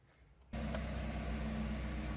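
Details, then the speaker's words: Jeep Renegade 1.8 flex after engine mount replacement, idling: engine catches and settles into a steady, even low idle with no knocks or shudder; the vibration previously felt in the steering wheel from the broken mount is gone. "ó é de cara pra perceber que é vibração aqui ó e não tá passando mais aqui para dentro"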